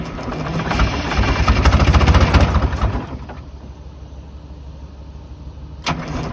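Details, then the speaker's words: 1982 Silver Eagle tour bus, Detroit 6V92 two-stroke diesel, parked 6–10 years: rough burst on catching, then steady low even drone, no knocks or rattles; air building, normal idle. "well that thing lit off good don't know if we're building any air yeah we're building there pretty quick so it appears everything's operational up here"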